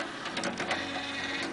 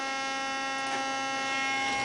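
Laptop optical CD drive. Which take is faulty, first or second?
second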